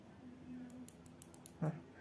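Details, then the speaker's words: Stock Unitex mouse, opened up, giving six sharp, loud, crisp high clicks in about a second; its noisy switches are to be replaced with silent switches. "Kali ini saya akan memodifikasi sebuah mouse dari Unitex yang suaranya sangat bising."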